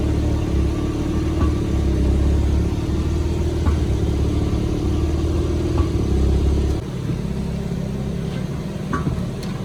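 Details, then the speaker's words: 2023 BMW M3 Competition G80 on a lift: a dull clunk is heard from the rear axle/differential area underneath when D or R is engaged and load is taken up. No torn rubber was found; backlash is suspected. "so apa yang kita [Musik] dia untuk Tengoklah bawah tu macam mana and Test Masa dia dalam keadaan tak ada load up when ada load masuk gear dia akan bunyi koocking noise"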